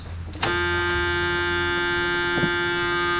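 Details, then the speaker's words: Chevrolet camper conversion being retrofitted with electronic fuel injection in place of the carburetor, with about 20 liters of gasoline in the tank: a sudden steady electric hum at one even pitch as the in-tank pump primes, flushing fuel before the hose goes to the throttle body. Normal priming. "Lo primero que recomiendan es dejar salir un poquito de combustible, de gasolina, por si había alguna churra en el sistema que salga antes de entrar a la mariposa. Vamos a hacer eso. Deberíamos oír la bomba de gasolina del tanque empezar a empujar la gasolina"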